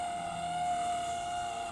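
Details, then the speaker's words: Panasonic Style Grill NN-GT6845 microwave that wasn't powering on and blew fuses, running a one-minute water heating test: steady high thin whine over the hum from the dry magnetron cooling fan, needing cleaning/lubrication or replacement. "esse barulho é que estão vendo é o ventilador dele que tá seco a ventoinha que refrigera lá o magnetron"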